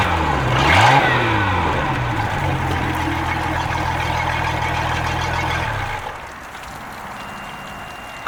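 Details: Sea Ray sterndrive after replacing a seized gimbal bearing that had welded itself to the drive shaft: the engine revs up cleanly and drops back smoothly, with no grinding or rumble from the drive.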